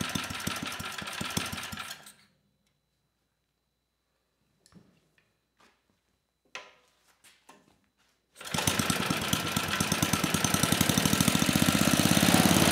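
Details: 34-year-old Tecumseh H30-35387Y on a Troy-Bilt Tuffy tiller, with a new clone carburetor after a no-compression repair; quick even putter, briefly stops, then restarts and climbs steadily in speed; running cleanly.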